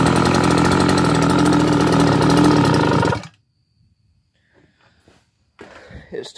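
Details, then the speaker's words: Brand-new two-stroke scooter engine on premix, smoking heavily: even, quick burble at idle with a steady beat and no knocks or misses before shutoff; runs healthy. "the two-stroke still runs just fine you know it's brand new"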